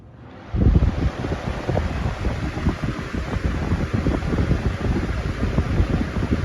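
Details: Lasko Weather-shield box fan, 2018 model, 1 amp, 60 Hz, after one year of ownership, on high speed: a steady rushing airflow over a low even hum with no rattle, knock or wobble. Normal running.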